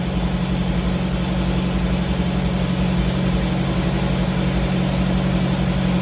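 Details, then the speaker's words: 1985 Jeep CJ7 just fitted with Holley Sniper EFI and new tank, cold startup: steady even fast idle a little high, smooth low rumble, no misses; rpm should drop once coolant reaches 165 and it self-learns. "the rpm should come down soon I'll have to learn how to use this thing but once it reaches 165 coolant temp it will learn automatically so I don't really need to do anything you can hear it's running really smooth"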